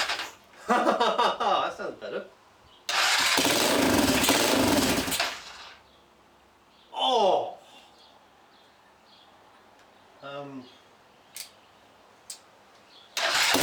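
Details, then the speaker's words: Restored Honda farm bike, fuel tank just refitted, run on hand choke: engine catches in ragged bursts of a couple of seconds then dies back to silence; will not hold an idle. "so I'll Chuck some fuel on it now and see if it stays alive for more than two seconds"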